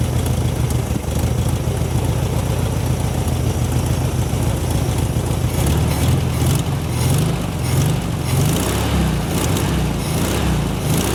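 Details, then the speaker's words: 1972 VW Super Beetle, first start after wiring repair on fuel shot down the carb; fuel may not be flowing, gauge reads empty: catches into a low, fairly even rumble with a few uneven beats; air-cooled flat-four running. "listen to her she curves she purrs"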